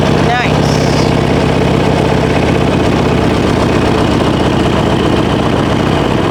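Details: 2005 Harley-Davidson Sportster 1200 Custom, cold start on choke the day after fitting a new TYKOOL lithium battery, left in overnight: catches right away into a steady, lumpy V-twin idle with even pulses and no misses. Healthy.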